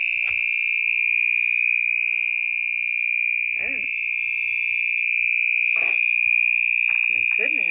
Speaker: I can't even shut it off. Supposed to make that noise. I think it's broken.